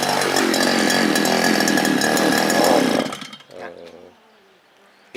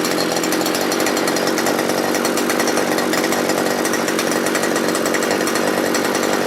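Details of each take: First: Small two-stroke earth auger engine: runs hard for three seconds when throttled, then sags, coughs and stalls, from fuel starvation caused by a swollen carburetor fuel-pump diaphragm; hard starting, quit after about ten holes. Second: Small two-stroke earth auger engine that started hard and stalled when revved, after replacing the carburettor with a sprayer-type one: steady high-pitched buzz that picks up and settles cleanly when blipped; running properly after repair.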